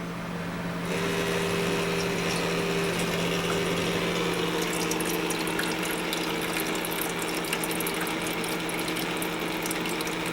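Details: Master Chef countertop ice maker after water pump replacement: small new pump hums steadily with water gurgling and a light fast rattle over it; runs but still noisy, owner wonders if it ran dry.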